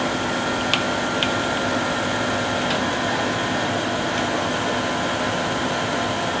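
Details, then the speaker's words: 2006 Land Rover LR3 air suspension compressor after replacing the front transfer relief valve and splicing the cut front air line with a pen ink tube; constant steady whirring hum, a few faint clicks, running and pumping up normally. "We'll see what happens. But I hear it trying, which is more than it did before."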